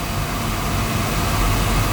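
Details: Oil burner in a basement, down about two days after running out of oil, burnt control found, breaker had tripped: steady even roar of flame and fan, no pulsing or rumble; burner lit and firing normally.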